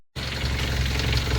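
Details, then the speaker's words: 2016 Hyundai Veloster Turbo DCT at idle: steady low hum with fine, even ticking clatter typical of Hyundai direct injection, plus a loose vibrating part that needs tightening. Normal direct-injection idle clatter. "all right so it's got the typical Hyundai clut clutter but I also have to tighten this up it might be hard to see but it's vibrating and you can hear it so I'm going to have to tighten that one up"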